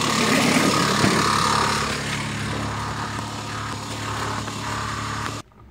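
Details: 2001 Mitsubishi Montero Limited 3.5 at idle: very loud clatter with a steady knock about four per second that seems to come from the bottom, but is a slack timing belt from a failed tensioner.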